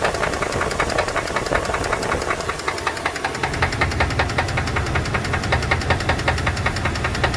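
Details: 2002 Dodge Dakota 4.7 L V8 at idle with a sharp regular tapping, two to three per second; a top-end tick or knock. Owner suspects lifters or piston slap; not confirmed.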